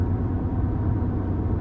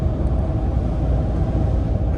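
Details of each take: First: In-cab recording, Mickey Thompson Baja Boss A/T tires at about 60,000 miles, around 60 mph then slowing: steady low droning tire hum with no beat over cab rumble; worn tire road noise. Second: In-cab recording at highway speed on newly fitted Prinx HiCountry R/T tires: steady, smooth low rumble with only slight tire noise, no hum, wobble or thump, far quieter than the worn tires removed; normal tire road noise.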